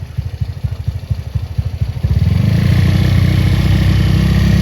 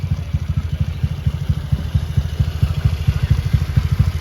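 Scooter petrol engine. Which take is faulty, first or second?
first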